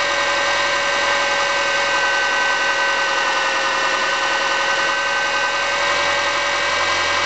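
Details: 2005 Subaru Forester EJ25 non-turbo engine, about 2 years old, steady idle with a faint, regular knock riding on the engine note; owner suspects piston slap, unconfirmed.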